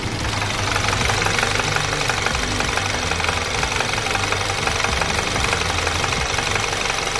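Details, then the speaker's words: VW GTI with stalling and codes P000B, P0017, P0341, P2336: warm idle with sharp tick-knock about three per second, stops when camshaft adjuster unplugged; camshaft adjuster knocking, low oil pressure suspected. "so you can kind of hear the noise now me now ruffit you can hear thee and you can feel it in there too and I unplug them from the noise goes away"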